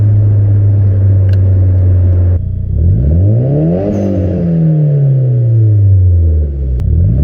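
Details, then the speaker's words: Nissan 200SX S14 fitted with cheap AliExpress injectors: revs climb smoothly and evenly to the rev limiter and drop back cleanly, no stumble, improved over earlier failure. "much better now that it does go up in revs constantly and the cutoff comes,"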